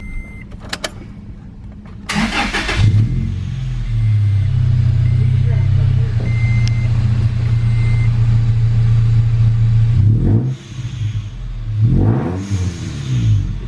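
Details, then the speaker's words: Manual Toyota Tacoma with a Rotrex supercharger kit, just given fresh supercharger fluid and a new filter. It cranks and catches into a deep, loud drone, and blips bring the bypass valve whoosh. The exhaust is too loud and raspy, before a resonator is added. "Just took it for a quick drive in the parking lot. It's too loud. Too loud, we don't like it."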